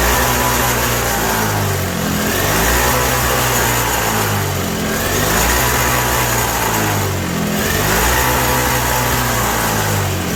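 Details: 1987 Toro CCR 2000 snowblower two-stroke, cold, with a newly fitted replacement carb; surges up and down every couple of seconds and never settles even on choke. Running lean, and jet adjustment in or out has no effect.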